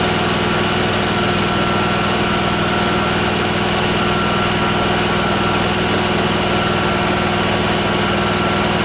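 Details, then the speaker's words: Miller Trailblazer welder engine after fitting the vacuum-operated fuel pump: steady, even idle, no surging or stumbling; the pump was the fault, mixture screw adjustments at high and low idle changed nothing. "putting the fuel pump on fixed it so it was this vacuum operated fuel pump that was the issue because it runs fine now"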